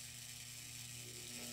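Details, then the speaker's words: Breaker on AC supply feeding a charge controller via rectifier, under charging load at half output: fast steady chattering buzz over hissy background; rectifier getting warm; breaker chattering, cause not confirmed. "all right guys she goes certainly doesn't sound nice it sounds like this breaker is going crazy but"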